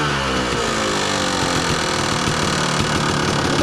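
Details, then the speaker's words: 2002 Kawasaki KDX 200 two-stroke, low hours, recently tuned, choke off, steady even idle with a fast crisp beat and no knocks or misses while warming up; KIPS valve fairly quiet; normal idle. "I just use to start the bike and then the bike idles and runs great you know you can run it all day it's the same and this one is you'll notice the Kips valve on this one is fairly quiet"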